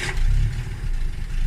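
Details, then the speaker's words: Carbureted Fox-body Mustang cold start, owner says carb needs a rebuild, revs held about 1000 rpm: low, lumpy idle surging and sagging unevenly; rough cold idle, shake until warm. "as you can see here it's idling very bad so i have to and only uh actually if i hadn't started earlier in the day like it doesn't matter if it was 12 hours i'm right now holding the rpms at about a thousand rpm waiting for the shake to go away"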